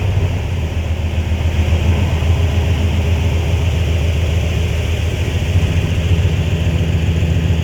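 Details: High-mileage flatbed truck, first short startup of a replacement 5.9 Magnum V8 after the old engine knocked: a deep, even idle with steady firing pulses and no knocks, ticks or misses. Good oil pressure, no check engine light.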